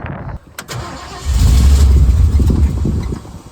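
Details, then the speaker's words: 1966 Ford Bronco U13, new unadjusted carburetor possibly leaking, choke nearly closed: cranks, catches, runs low and lumpy about two seconds, then dies; engine starts then stalls, cause unconfirmed. "and then it shuts off which doesn't make sense so let's try giving a little gas then"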